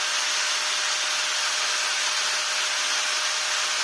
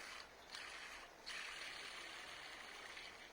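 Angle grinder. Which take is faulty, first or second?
second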